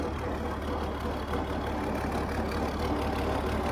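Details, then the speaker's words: International Harvester 1468 tractor without its V8, diesel engine idling after repair work, charging with oil pressure; steady even clatter with no knocks or misses, sounding healthy. "Motor sounds healthy, though. No TA, so let her eat, right?"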